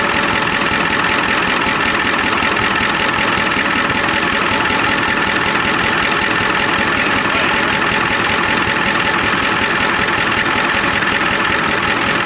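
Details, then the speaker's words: 1993 Ford F250 IDI diesel at idle with injector line cracked: heavy clatter and uneven lumpy beat; one injector found super loose, squirting fluid back out, causing the rough idle. "foreign look back here one of the that injector right back there super loose"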